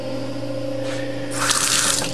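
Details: Farm building water system with pressure tank set to fill mode and no tank pressure: steady low hum, then an even rush of water from the tap with no sputter or surging; normal flow.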